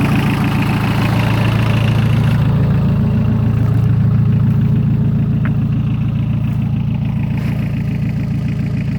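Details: 43-year-old VW diesel truck, just started after a year sitting on a ten-year-old battery: steady, even diesel clatter at idle, no misfire or hunting; idling smoothly.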